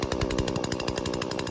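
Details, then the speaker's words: Husqvarna 120 Mark II chainsaw during carb tuning: the idle screw is turned in, giving a fast, even two-stroke buzz at high idle with the chain just starting to creep. "turn it in so that our chain our idle picks up and our chain just starts turning a little bit like"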